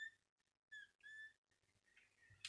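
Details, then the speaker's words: Miele S5211 vacuum cleaner motor: short high-pitched squeaks in bursts over a faint motor hum, an abnormal squeal, compared with a rebuilt, rebalanced motor. "I bet you mine will sound better than that one well that's squeaking that's not normal"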